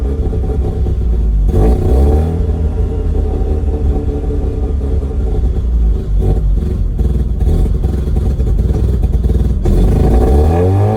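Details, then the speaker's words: 2004 Mazda RX-8 rotary with an OEM airbox filter and MAF, owner thinks the ECU needs to relearn idle: revs rise and fall and turn rough and lumpy when dropping low; it won't idle below 2,000 rpm. "Yeah, definitely doesn't like going less than 2,000."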